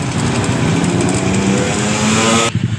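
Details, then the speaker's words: Honda Supra engine in a modified Honda 70 frame: busy light clicking from the left side of the engine, near the exhaust, while running. The cam chain is found very slack. "dengar baik-baik suara mengkritik di bagian pot dan mesin kirinya ini Ini kemungkinan rantingnya yang longgar"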